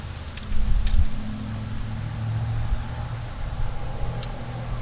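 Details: 1987 Toyota 4Runner 1st gen 22RE auction find, first run: deep, throaty rumble with uneven bursts at idle, louder than it should be; fires all right, rust film on plugs, possible water in cylinders suspected; cause unconfirmed.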